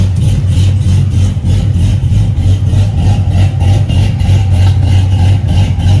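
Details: Cadillac CTS-V with newly connected exhaust, still untuned, deep idle rocking in an uneven chop about three times a second, then rev blips.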